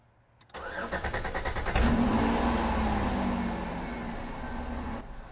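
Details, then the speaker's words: Hard start after checking battery and cleaning connections on a car that keeps stalling randomly while driving: fuel pump primes, first tries fail, then the starter cranks in rapid even pulses over a second before the engine catches, flares and settles to idle. "Let's see if it starts. It does not. Give it a couple of tries and see."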